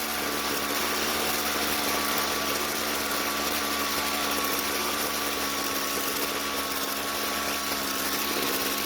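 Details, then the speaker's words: Jonsered two-stroke string trimmer, hot, after leaning the carburetor L screw clockwise under a quarter turn: high buzzing drone holding a steady pitch without surging or stumbling; normal running, starts much easier. "well it definitely started up much easier but let's try that one more time just to make sure"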